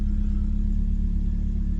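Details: 1995 BMW E36 316i Compact, 1.6 M43 four-cylinder, heard idling from inside the cabin: a heavy, booming low drone with no higher mechanical noise; the muffler is worn and far too loud.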